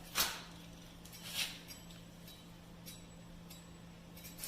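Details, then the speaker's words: Bike disc brake on a cable-actuated caliper, wheel spun while the pad is being adjusted: faint, quick metallic swishes and tings about once a second as the pad lightly rubs the rotor. "And right there we can hear it rubbing a little bit. So I'm going to try to get it just to where it stops rubbing."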